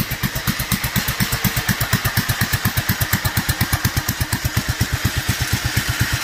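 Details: Duromax 18hp single-cylinder engine: very slow, heavy thumping idle about two beats a second, sagging and near stalling.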